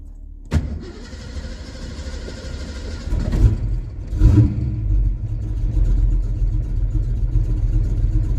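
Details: 1982 Ford Mustang GT, carbureted, cold start two hours after running, choke problem fixed: starter cranks briefly, engine catches cleanly, flares up, then settles into a steady, even idle; normal cold start.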